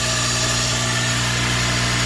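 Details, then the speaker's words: Acura RSX K-series after fuel return system install, fuel pressure holding about 46 psi with no leaks: steady, even idle hum with no misses, knocks or surges; normal idle. "so i'll go ahead and start that up and show you guys that all right so as you can hear it's running as you can tell nothing is leaking here nothing is leaking down there nothing's leaking right there"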